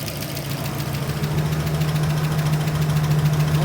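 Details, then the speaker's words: UMZ 4216 engine, warm idle after oil pump replacement with fresh oil and filter; fan has cycled several times; smooth even low hum with no lifter tapping; the oil pump was the cause of the earlier hydraulic lifter knock. "продолжение бизнеса был заменен маслонасос сейчас машина уже прогрета несколько раз отработал вентилятор первое масло свежий фильтр"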